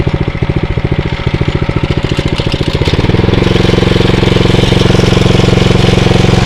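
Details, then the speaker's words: Atco Royale B24E cylinder mower engine after carburettor work, may still need choke under load: quick even firing beat dips briefly when the drive engages, then picks up to a steady smooth run; normal running under load. "so I think that's a lot better you hear it's like when you engage you see the ribs just sort of do go down a little bit but then um it just picks right up and seems to be okay"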